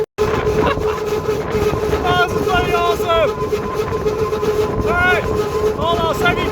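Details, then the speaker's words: Old MX32 Toyota Cressida, long left in the bush, being towed home: loud steady drone with wavering squeals and felt vibration from the front passenger wheel working loose, which soon came flying off. "The front passenger side wheel is giving us grief. But we're tracking along nicely. Oh, there we go, getting a bit better. I mean, the interior's it's in shit shape actually. Oh, I feel the vibrations from the wheel."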